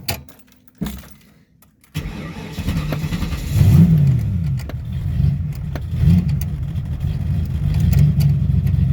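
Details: 1995 Ford Mustang V8 with newly swapped C4 3-speed automatic, restarted after stalling during a stall test: brief crank, catches quickly and settles into a steady, even idle with a couple of clean blips; healthy restart.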